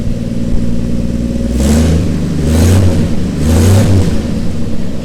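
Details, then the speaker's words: 1955 Chevy 3600 three-quarter-ton pickup, 235 straight-six (likely 1951 block), first start; three crisp throttle blips over steady idle, a little smoky from what was put in the cylinder, revs freely without backfire — normal free revving. "it's alive it actually sounds really good a little smoky but I put a lot of in the cylinder so I'm not surprised by that"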